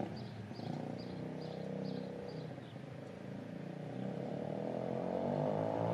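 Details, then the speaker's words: Homemade pit bike trike on a test ride, smoking heavily: small single revving with a loose rattling slap over the exhaust; drive chain is too long and no chain guide was fitted, so it slaps; half link planned. "but I forgot to put a chain guide on so it was just slapping over there"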